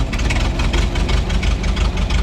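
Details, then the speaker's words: 1926 Ford Model T touring, crank-started with spark advanced: slow loping idle with uneven beats and an occasional skipped pulse; one spark plug not firing properly and needs replacing. "okay before we drive keep in mind this is going to run rough because there's one spark bow that's not firing as it should because it needs to be replaced"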